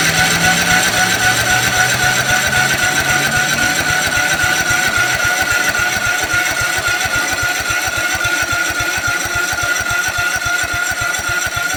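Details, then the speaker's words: 2006 Cub Cadet LT1045 riding mower after fuel pump swap: fast, even putt-putt about four beats a second that never comes down; high idle, a cable suspected out of adjustment. "Dig to idle high. It wouldn't come down."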